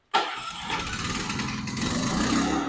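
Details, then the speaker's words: Alen inverter silent generator with eco mode, tested indoors in an enclosed room: it catches at once and settles into a smooth, quiet, even hum with no surging or knocking. The start and idle are normal. "nagsasalita po ako pero umaandar po yung generator. Ang kagandahan yan, may eco mode po yan."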